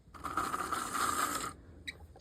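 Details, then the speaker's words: Vintage model train F-unit locomotive: small motor whirs with a dry, gritty gear chatter, then clicks; sounds like sand or debris in dry, dirty gears; still runs. "It's a little noisy. You can tell it needs a little bit of work. Almost sounds like there's some kind of sand or something shaking around in those gears, or maybe some loose like Woodland Scenics products or something, but you know, definitely a runner."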